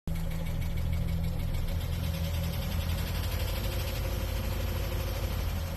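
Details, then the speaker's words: Chevy Cruze 1.4 with P0324 knock sensor code, idling: dull rough knocking mimicking a collapsed lifter or rod knock; loose timing chain tensioner guide bolts letting the guide jump around, seen with valve cover off. "it sounds like you got a collapse lifter or nog rock or something and your cruise 1.4 usually it's these bolts to the tensioner guide right here and as you can tell she's been jumping around"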